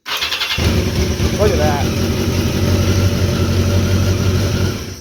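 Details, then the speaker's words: 1982 Yamaha XJ650 that wouldn't start until the starter button was released, with a 40-year-old ground cable and weak battery, tested with an added ground: brief whirr, catches within a second, steady even idle; bad ground confirmed. "I didn't even let go there ready so bad ground battery kind of sucked too"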